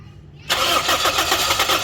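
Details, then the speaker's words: Toyota Corolla with gas kit, morning cold no-start: ignition coil current, injector pulse and fuel pressure all fine, yet starter cranks steadily without firing; engine coolant temperature sensor wire found broken. Crank no start. "ये देख रहे हैं क्ल भी current लगा रही है बस बस बस बस लेकिन गाड़ी जो है ना वो स्टार्ट नहीं हो रही है"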